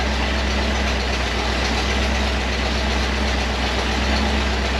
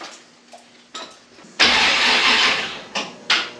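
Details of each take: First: Model A rat rod V8, first start after the TH400 transmission was rebuilt and reinstalled, once fuel reached it: a steady, deep, even rumble with no knocks or misses as it settles into a smooth warm-up idle. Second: Model A rat rod, cranking after a TH400 transmission rebuild and install, with the battery terminal needing tightening. The starter groans through sluggish bursts and a labored spin without catching. Slow cranking; owner thinks the battery is on its last legs.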